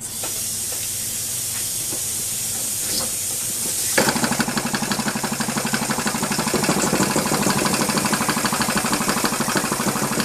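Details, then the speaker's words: Two-stroke weed-eater engine stripped down and converted to a steam engine, running on compressed air without a flywheel: hissing air and scattered puffs, then uneven chuffing about three beats a second; runs hit or miss, faster at higher pressure. "now it's kind of Hit or Miss right now the higher the air pressure the faster it goes and uh once I get a fly wheel to it I'll make me steam a a boiler and it'll be able to run a lot better"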